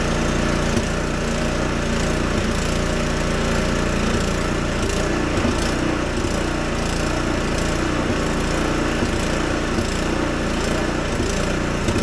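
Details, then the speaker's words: Husqvarna ST 124 (24-inch) snowblower, 212cc single-cylinder engine, surging with an uneven, hunting speed and irregular popping; factory runs it very lean. "And I'm going to start this engine up, and you're going to notice that there's going to be some surging. Absolutely ridiculous. And there's some popping sounds coming out of it."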